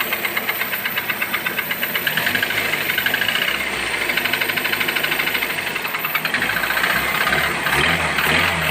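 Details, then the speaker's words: Toyota 1SZ-FE engine revving with a sharp metallic tin-tin tapping about twice a second, near the timing area; oil pump or piston suspected, teardown found cylinder 4 piston scored and nearly seized; piston knock. "Вон, слышишь звук какой? Тын-тын-тын-тын-тын-тын. Хуй пойми, в районе ГРМ где-то там, блядь. То ли масляный насос, то ли, блядь, поршень, хуй ее знает."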